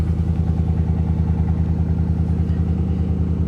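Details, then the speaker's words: Salvage-auction 2019 Chevy Silverado, possibly a theft recovery, at idle: very loud, raw, deep unmuffled pulsing roar with exhaust missing; catalytic converter suspected stolen. ABS, airbag, traction and TPMS warnings on; truck still moves in gear. "okay yeah there's exhaust missing for sure sounds like someone stole the catalytic converter off of it"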